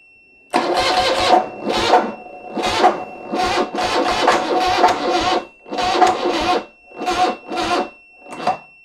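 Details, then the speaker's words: 1975 BMW R90 motorcycle, first start attempt after 12 years of poor storage, choke removed, on a large booster: laboured uneven cranking bursts, never catches; weak battery, not enough power, new battery needed. "pas du tout assez de jus ayez le jus est pas du tout suffisant et pourtant gros booster mais bon c'est pas suffisant il faudrait une batterie neuve"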